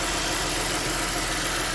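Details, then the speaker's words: 2010 Ford Edge 3.5L V6 idling after starter replacement and coolant refill, heater working; smooth, steady idle with an even hum and no misses, knocks or grinding. Normal idle. "we'll let it run for a few minutes anyway and uh we'll we'll idle it up just a little bit just in case any bubbles is in"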